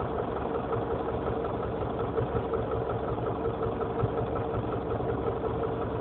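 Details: Honda CR-V engine at steady idle with a light, fairly even knock about three times a second over the engine hum; source not pinned down.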